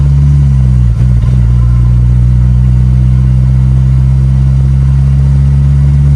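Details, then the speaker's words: Turbo Volvo 245 redblock wagon with M47 manual gearbox, cruising in fifth gear: steady low drone and heavy low-end gear hum under the car; worn M47 manual gearbox noise. "that's fifth gear right there that's uh that's what a bad m47 sounds like"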